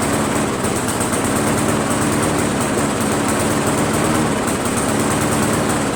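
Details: Briggs 158cc mower engine after a carburetor change: fast steady drone with a rough, ragged edge; poor running despite running great at first, cause unknown.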